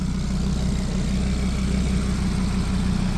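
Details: Audi RS3 DAZA engine at idle, first start during coolant bleed, heat exchanger pipes cracked to purge air; steady low rumble with even pulse, no knocks or misses, healthy normal idle.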